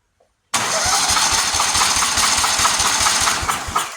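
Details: Buffalo Turbine debris blower, 27 hp V-twin, cranking on a compression test: even beats about four per second, no skips or hiss; this cylinder sounds healthy, though a leak is suspected on one side.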